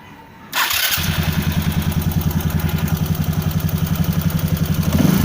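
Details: Hayate scooter with an engine problem: fires and settles into a quick, slightly uneven thumping beat around three to four a second; running fault, cause unclear.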